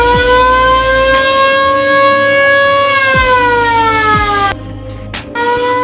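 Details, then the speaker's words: Original factory siren on a VW Kombi Baywindow ambulance: loud wailing tone sweeping slowly up and down in steady cycles, strong and unbroken; the siren works properly. "Wow yaitu tadi teman-teman sekarang rotator dan sirine VW Combi ambulans yang masih original Bawaan nya serem juga suaranya"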